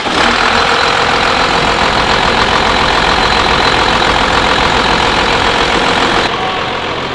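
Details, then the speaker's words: 12V Cummins diesel, freshly rebuilt with a Stage 2 cylinder head, idles with a steady clatter with the oil filler cap off; no puffing from the crankcase, so no blow-by leaking at idle despite a questionable cylinder. "Not really? It's not really leaking at an idle."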